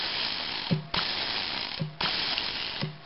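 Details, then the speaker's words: Traxxas RC nitro engine with shaft starter that has been sitting a while: three whirring, ratchety cranking bursts that spin without catching. Owner suspects a worn one-way bearing slipping, not confirmed. "yeah I think it needs a new oneway barar it um seems to be slipping or [Music] something"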